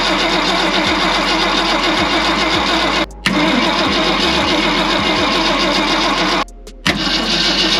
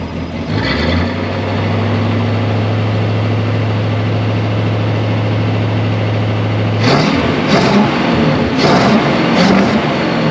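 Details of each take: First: 1965 Ford Galaxie 500 on points ignition: the starter churns steadily with brief pauses but the engine never catches. Carb cleaner was sprayed in, the coil gets power, and the battery reads 10 volts. There is no spark from the points, so a Pertronix ignition swap is planned. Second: 1965 Ford Galaxie 500 project car, newly revived, with oil pressure and coolant temperature reading on the gauges: a deep, steady V8 idle holds an even beat, then throttle blips rise cleanly. It runs well.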